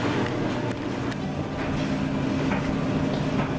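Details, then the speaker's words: Electric clothes dryer running after repair, drying a blanket after a load of towels; even low drum rumble, steady motor hum and soft tumbling thumps: normal dryer operation. "Well, I tell you, I've already done one load of towels, and we are starting on a blanket, so it looks like everything is going to work great on the dryer."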